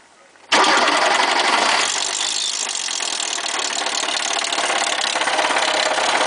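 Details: Lada Niva 4x4: starts straight into a harsh, clattery idle with uneven tapping under it; owner suspects a spun connecting rod bearing, not confirmed; engine knocking noise.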